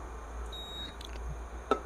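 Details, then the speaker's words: Induction electric hob tested with an aluminium rice-cooker pot; one thin high beep under half a second, error because aluminium is not detected by induction; iron or zinc pans work. "dia akan error jadi tidak bisa dipakai ya untuk aluminium ini dia akan error tidak terbaca oleh induksi"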